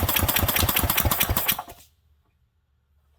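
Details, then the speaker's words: 1967 Briggs and Stratton 6 hp engine with very little compression, on a shot of carb cleaner: fast ragged popping under two seconds then silence; it did briefly run — low compression, brief firing on starting fluid. "it rolls over so easily there's so little compression I couldn't tell if it was firing or if it was just rolling through"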